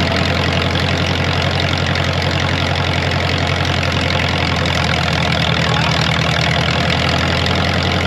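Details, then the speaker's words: Ditch Witch R40 trencher with Wisconsin V4 engine after Hot Spark electronic ignition conversion; steady even idle about 220 pulses a minute, pitch easing slightly as the distributor is turned to set timing by ear, no misfire or knock: normal idle. "well no timing light for now I know I'll get ripped on but well I'd say it sounds pretty good"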